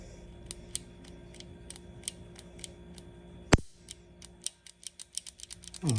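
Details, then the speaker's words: New Turkish Girsan handgun, lightly oiled and in its break-in period, microphone close: a slow trigger pull gives fine scratchy grating clicks, like sand, ending in a sharp release. "But whenever I pull the trigger slowly, you can hear the grating, like there's sand in it."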